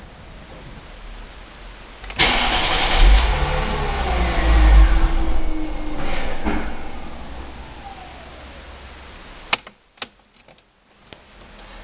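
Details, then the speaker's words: Mercedes W203 C320 petrol, after days of hesitation, power loss and stalling: starter churns steadily about four seconds but engine never fires. Crank no start; fuel pump replacement fixed it. "Evet aracımızı bir çalıştırmaya çalışacağız ne olduğunu hep beraber göreceğiz araç çalışmıyor"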